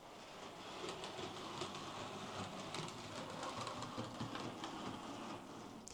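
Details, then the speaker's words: Hornby R2730 LMS Stanier Class 4P model loco on first power-up before repair, kick present even with motor disengaged, double gear checked okay: motor whirr with uneven ticking knock through the drive, most likely a split drive gear. "Yeah, from the sound that's making, I'd say that's most likely a split drive gear. All too common, sadly."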